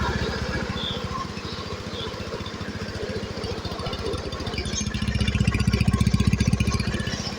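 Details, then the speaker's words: Honda Beat Pop two-stroke just started after engine rebuild (scored cylinder and old piston replaced; scanner reset done): starts easily, even quick putter with regular firing pulses, swelling slightly near the end; running normally and smoothly. "Oke motor hidup normal hidupnya mudah ya teman-teman"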